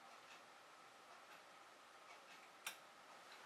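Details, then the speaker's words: Nortron IT22W line voltage thermostat being recalibrated after reading 7° off: single sharp click as contacts close and heaters get power, switching on around 22 °C, normal. "now when you turn on the thermostat you can hear that click and it comes on around twenty two"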